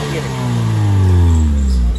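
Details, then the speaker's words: 2015 Maruti Swift petrol at about 75,000 km, after a major service: steady low, even engine hum at idle with no stumbles or missed beats; smooth running, no misfire. "गाड़ी यहां से बिल्कुल start है कोई missing नहीं है कुछ नहीं है"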